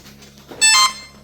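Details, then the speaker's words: Turbo Timber Evolution RC plane, receiver just bound: short burst of bright rising beeps in a quiet room as the ESC boots up and arms normally. "You hear the EC boot up. So we're binding to this now."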